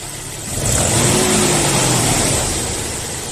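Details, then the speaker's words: Audi A4 V6 after repair of an oil pickup clogged by silicone sealant used in place of a gasket; engine revs up cleanly and settles back smoothly with no knocking, oil pressure warning no longer on; normal revving. "como se escucha está suave Aquí vamos a ver el tablero ya no se apaga como se apagaba a ver acelere acelera normal funcionamiento"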